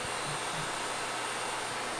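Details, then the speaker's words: GTX 1070 Founders Edition GPU after ultrasonic cleaning and thermal paste replacement, first power-on on mining riser: even airy rush with faint steady high whistle, no ticking or rattle; blower fan spins smoothly, no smoke. "The fan is on. That's a good sign. I don't smell any smoke."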